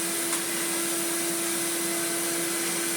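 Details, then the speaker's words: Hitachi Powerhouse upright vacuum (CV775DP/780DC), on carpet after a new belt was fitted: smooth steady mid-pitched motor whir, no rattle or slapping; brush roll spinning, normal running. "Brush roll is spinning. Ooh. I I can feel it on the carpet. That is ever so nice."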